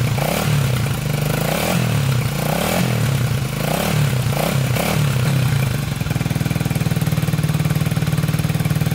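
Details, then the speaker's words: 1987 Honda 250X single with new valves and coil, 12:1 high-compression piston, tank not yet cleaned: blips up and down a few times then settles into fast even putter; normal idle and revving. "seems like it's running pretty good um i did look it up 12 to 1 piston high compression"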